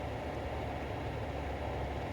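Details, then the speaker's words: 2006 Toyota Sienna after tightening the passenger temperature mode door actuator's three screws: steady low blower rush with no clicking, though it previously clicked continuously at 75 degrees or below. "so now I'm going to turn on the fan and basically show you how it works you can hear the blower fan coming on now okay the blower fan is now blowing"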